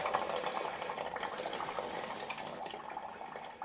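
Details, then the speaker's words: Cabin being winterized, water lines draining out through a hose outside, shower turned on: irregular spitting and gurgling from the shower head as air pushes the last water out; normal line draining. "So I'm going to turn the shower on. And of course you can hear that."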